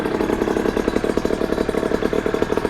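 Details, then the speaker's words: Rebuilt 50cc two-stroke motorcycle engine on first start after repair: quick, regular popping at steady idle, evenly spaced beats with no misfires; runs cleanly. "Hop. Ça a l'air de bien tourner, hein."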